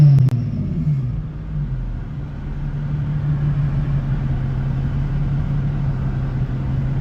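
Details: Infiniti V36 V6 with 240,000 miles and Berk test pipes, warm after a coolant burp with the thermostat open: a deep, steady exhaust drone at idle with no knocks, ticks or misses; runs clean and healthy.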